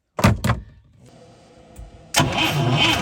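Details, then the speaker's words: ASI boat engine unrun for 15 years, fuel line disconnected from the carburetor: the starter cranks steadily but the engine never catches, and no fuel comes out, so the fuel pump is not delivering. "okay so i have been cranking this thing over and fuel is not coming out the top here"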